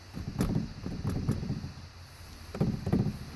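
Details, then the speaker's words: 2001 Dodge Ram with replacement dash: scattered light plastic rattling from heat/air vents left unanchored since the new dash lacks their mounting screws. "therefore when you get your new replacement - in place you will find that since they are not connected you will have a rattle"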